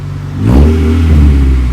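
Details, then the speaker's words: Muffler-delete exhaust on a 2001 Acura Integra (third owner) revved after warm-up. Catalytic converter and resonator are still fitted, so it is a deep, fairly quiet, mellow drone with no rasp or rattle, not loud like a typical Honda. "Got a cool resonator. Yeah, it's got a really good resonator."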